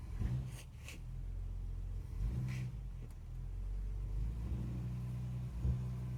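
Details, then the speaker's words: Classic car with a rebuilt carburettor, driven through the gears after the ignition timing was adjusted: steady engine rumble with no knocking or stalling. The owner suspects the earlier knock was pre-ignition or a tappet. "Does not sound like it's knocking now. And it's taking gears without stalling. Which is good."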